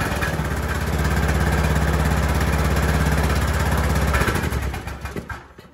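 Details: Craftsman (Sears) tractor single-cylinder engine after replacing a carbon-fouled plug with a new NGK CS6: fires up, settles into a steady, even thump about three beats a second, then shuts down cleanly; running fine.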